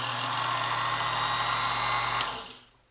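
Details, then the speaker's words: Speedex 9120RM compact key cutting and duplicating machine, powered on after fitting a replacement motor belt and refitting the plastic shield: steady smooth motor whine with no rattle or slap, clean spin-down at switch-off; looks and sounds good. "And before we go any further, I'm just going to power this on and make sure everything's okay."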